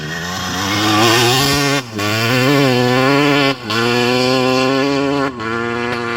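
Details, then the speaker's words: 2001 Honda CR250 two-stroke dirtbike after diagnosing and fixing high idle revs with no throttle (air leaks checked, seals inspected): crisp wail rising through the gears with clean shifts and strong pull, running perfect again and healthy. "This is my CR250 model year 2001. It runs perfect again, so off to the racetrack. I love blasting it through the gears."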